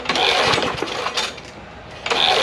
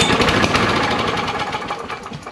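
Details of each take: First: John Deere JS63C push mower, 6.75 hp Briggs & Stratton OHV, formerly locked up, fed gas with SeaFoam sprayed into the carburetor: rough sputtering bursts that catch and die, firing back out the carburetor; owner suspects sheared flywheel key or maladjusted valves. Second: John Deere JS63C push mower, 6.75 hp Briggs & Stratton OHV, previously locked engine: small single running briefly on last bit of fuel, fast even beat fading slightly, sounds healthy. Normal running.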